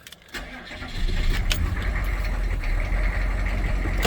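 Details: 1996 K2500 6.5 turbo diesel after fuel line repair and bleeding at the filter: cranks, catches and settles into an uneven, lumpy idle with occasional pops as air bleeds out; it smooths once the air is purged.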